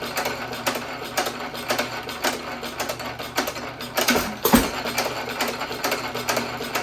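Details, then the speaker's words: 1917 Economy hit-and-miss engine with higher-compression aluminum piston refitted in place of low-compression slug, buzz coil ignition, same speed setting: regular beat about twice a second, firm compression, no blow-by hiss past rings. "You don't hear all the compression around the rings and out the back end this time, do you?"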